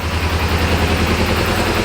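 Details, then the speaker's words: Kawasaki ZZR250 twin on first start after new clutch basket bushes fixed the low-rev clutch knock, choke on; low, even tick-over with no banging, repair worked. "Low tick over, you could hear it bang, bang, bang, bang. Nothing, not a note. It worked."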